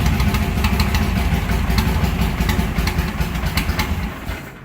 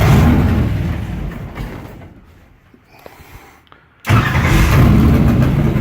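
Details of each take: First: Car with mechanical fuel injection, still warm, at end-of-day shutdown: fuel shut off and left idling; lumpy idle stumbles and fades as it runs completely out of fuel and stalls from fuel starvation. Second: Engine with mechanical fuel injection, cold start after priming fuel two or three times: engine fades out, goes quiet, then catches sharply and settles into a steady, deep, even cold run; normal start.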